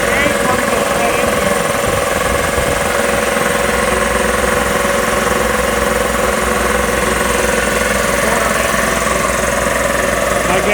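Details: Magna Force air compressor after repairs, building pressure toward a 160 cutoff: steady, even pumping chatter at about three and a half beats a second, no knocks or stalls; running normally.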